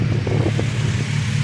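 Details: Honda Civic at idle on a cool day, O2 code after distributor replacement, with burned plugs, an exhaust leak at the headers and oily rear harness wires, white smoke after black soot: deep, lumpy, unsteady idle rumble with occasional puffs; running rough, cause not confirmed.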